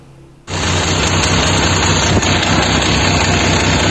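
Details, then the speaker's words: Benelli 899 three-cylinder motorcycle engine starts and runs with a deep, hard, steady knock: damaged connecting rod / rod bearing noise, attributed to lack of oil; causes may include oil filter or pickup. "nous savons déjà que ce son n'est pas celui normal de la moto nous avons déjà un idée du son d'un moteur lorsqu'il présente un bruit de bielle ou de coque de bielle qui est le produit d'un manque d'huile dans le moteur"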